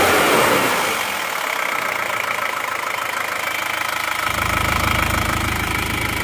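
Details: Isuzu Panther diesel at working temperature, after new original liners and piston rings fixed a compression leak that smoked at the oil filler cap and dipstick; settles into an even clatter around 200 per minute with a steady beat; normal idle.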